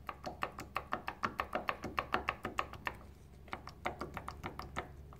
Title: BMW Z3 2.8 M52TU Vanos piston bearing play - before and after adjustment